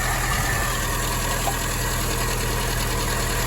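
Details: 1961 Triumph TR3A four-cylinder, after carburetor work, warm, while synchronizing twin carbs with airflow gauge: steady even low idle burble, no knocks or misses; smooth normal idle.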